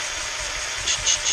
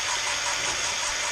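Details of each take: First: Jaguar MKII engine rebuild, valve lapping with Gunson's Easy Lap tool on a slow drill: hollow rasping hiss as fresh paste cuts the seat, going quiet as paste fines; lift and reseat to repeat. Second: Jaguar MKII engine rebuild, cylinder head valve lapping with a Gunson's Easy Lap drill tool and paste: steady gritty rasp with hollow ringing echo that later goes quiet as the valve beds in; valve not yet seated.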